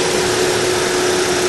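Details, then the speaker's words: 2012 Chevrolet Sonic brought in for knocking noise resembling connecting rods inside engine: at idle a steady mid-pitched whirring runs constantly; cause found to be the water pump. "que tenía el ruido encontramos la causa del ruido era la bomba de agua"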